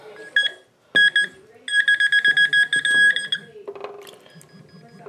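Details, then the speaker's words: Makro waterproof metal detector pinpointer submerged about 1.5 inches in water: loud, clear high-pitched beeping, about a dozen rapid pulses, still audible underwater; working properly. "I can even hear it under water. It's loud."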